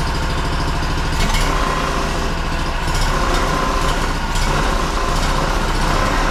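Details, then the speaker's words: Honda two-cylinder engine that sat 10 years, running on fuel pressure-fed from a squeeze jug because the dried-out pump diaphragm would not pump: an even, steady twin beat with no misses or knocks; normal running. "nice smooth running engine actually for sitting for 10 years"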